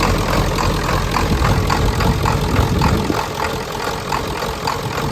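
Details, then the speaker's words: 1994.5–97 Ford 7.3 Powerstroke diesel, 300k+ miles, just after IPR valve replacement, started at 62°F: lumpy, uneven idle of about three or four pulses a second as air purges from the high-pressure oil system and oil pressure builds. "it might die but it's got to get the oil pressure back up there's just air in the system we'll get worked out"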